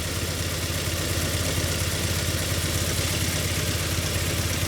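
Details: Ford Mondeo Mk3 petrol engine idling: rough, uneven lumpy low-pitched beat from a misfire on cylinders 1 and 4, hard to start; owner suspects low compression, checked by compression test.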